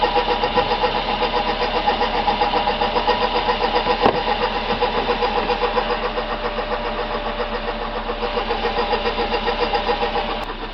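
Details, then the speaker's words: 2006 Suzuki Aerio 2.3L petrol engine idling: busy, rattling whir pulsing about four times a second under the hood; stethoscope confirmed the noisy water pump, which needs replacing. "this is a 2006 Suzuki Aereo a water pumps making a racket on it and it's going to need replace"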